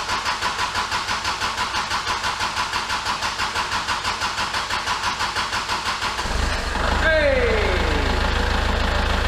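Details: Kubota L4701 tractor, about 500 hours, after a fuel filter change without prefilling: steady cranking about three turns a second for six seconds before the engine catches and settles to idle. Hard start caused by air in the fuel system.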